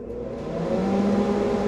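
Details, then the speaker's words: Older welder with metal tags, just plugged in: the cooling fan spins up to a smooth, steady whir with no rattle, scrape or bearing growl; normal fan. "things I listen for a fan see if the fan sounds good or if it sounds noisy like the bearings are going bad that fan sounds fantastic"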